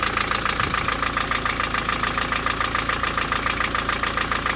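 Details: Diesel at idle after valve adjustment. The intermittent knock, present hot or cold, persists though seems slightly quieter. A sharp even knock about 140 per minute rides over the clatter: piston slap.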